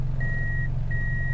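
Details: Toyota Altis automatic, engine warm, A/C on, in reverse with brake held: smooth steady low idle with reversing chime beeping about every 0.7 seconds; no dip or stumble, earlier reverse shaking not present.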